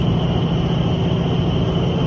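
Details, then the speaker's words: Paint sandmill before bearing replacement: loud steady low rumble with rough gritty hum and faint high whine; owner suspects worn bearings. "This sandmill is making too much noise. So I doubt the bearings are no good."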